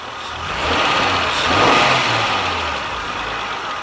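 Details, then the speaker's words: 2000 Honda Accord 3.0L after OEM idle air control valve replacement and EGR reinstalled: low smooth idle after a brief blip, no surging, no check engine light; code P0505 fixed. "as you can hear the engine is running the idle speed is very low the engine sounds great"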